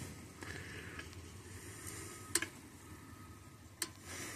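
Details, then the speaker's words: Parmak Solar Pak 12 (12 V) fence charger with no batteries installed, running off its solar panel facing the sun: sharp, isolated ticks a second or so apart in a quiet room, normal pulsing; the panel sends about 21 V to the battery, too high. "I could hear like ticking I was like what the hell is that ticking it was a unit it there's no batteries inside there so why is it clicking well because it's running off the panel"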